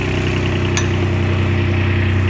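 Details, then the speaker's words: Kubota RTV900 diesel, hydrostatic transmission after charge pump, brass wear plates, relief valve, filters and oil replaced, held in high gear with handbrake on: steady, even drone at constant revs under load, no knocks or whine; record pressure. "That would actually tried to move forward there. That was in high gear with the handbrake on. It's never done that before."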